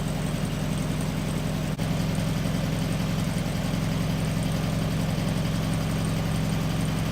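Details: 1974 VW Beetle (Sunbug) air-cooled flat-four, first run after 30+ years in storage, with a replacement carb, fed from a small temporary tank: steady, low, even chuffing at idle with no misses or knocks; smooth, healthy idle.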